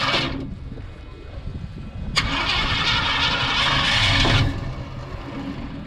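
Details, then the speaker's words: 1981 Ford F100 289 V8 just fitted with an Accel 8020 points eliminator, timing set with a timing light: brief cranking, then it catches quickly and settles into a steady, even idle. A clean, normal start. "Crank it. There you go. Little old 289. Sounds pretty good."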